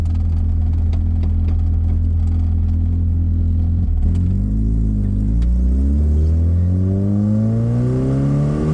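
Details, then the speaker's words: 1984 Dodge Omni GLH on a road test after a fuel-system fix for lean knock: the engine pulls cleanly toward redline with no pinging, ticking or rattle. The previous lean knock under acceleration appears gone. "I actually think it's gone. I didn't hear it pinging like it normally would."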